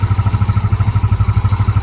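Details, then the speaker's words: Yamaha Mio 125 scooter, warm engine after carburetor cleaning and air mixture retune: steady, even putter around ten pulses a second with no hunting or surging; normal idle, diaphragm set still to be replaced. "ก็ประมาณนี้ครับผมเดินเบานิ่งแล้วนะครับไม่เด้งแล้วนะ"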